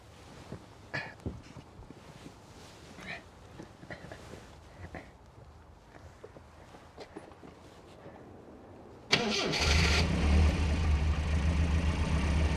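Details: Classic car: quiet shuffling, then quick crank and clean catch settling straight into an even, steady idle; sounds healthy.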